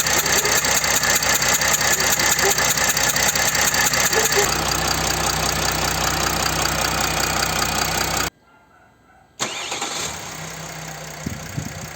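Diesel cranks and catches with even clatter, then settles into a smooth, steady idle with no odd ticking; healthy running engine.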